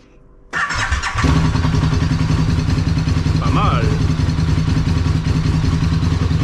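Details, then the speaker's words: KTM RC8 engine, rebuilt two years earlier, failed on track after 2000 km: starts after short crank into rough, uneven idle with abnormal rattle, no oil pressure light; glittery oil, internal damage. "Bon, je sais pas si tu as trop entendu le bruit, mais il y a un petit bruit quand même pas pas trop normal."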